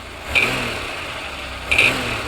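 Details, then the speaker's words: 1992 Oldsmobile 98 3.8L: two sharp rev blips bring a hard clunk back at higher RPM, confirming a bad harmonic balancer. "You can see if I rev it, that clunky noise or knocking noise does come back with higher RPM."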